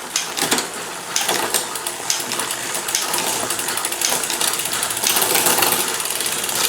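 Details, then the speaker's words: Bicycle rear derailleur test, pedalled by hand and shifted one gear: quick, even chain ticking with a crisp single click into gear and no grinding. Limit screws okay, chain may still need replacing; normal gear shifting. "So just pedal that and click one gear. That's working nicely."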